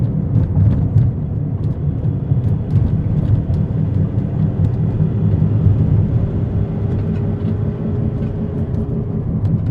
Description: This is what a bad wheel bearing sounds like. It has a whomping noise and will get louder and louder the more you drive on it.